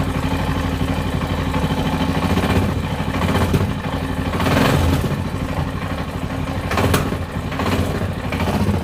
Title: Tenere XT660Z Engine Knock